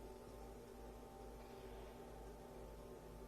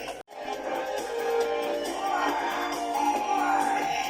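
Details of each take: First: Panasonic 3DO FZ-1 with failing capacitors, running cold: game music is faint and thin under hiss and low hum even at full volume; the audio returns to normal as it warms up, and a recap fixes it. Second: Panasonic 3DO FZ-1 console about five minutes after power-on, warmed up: game music clean at full volume with no crackle, whereas cold audio was quiet and scratchy; suspected capacitor issue, recap planned.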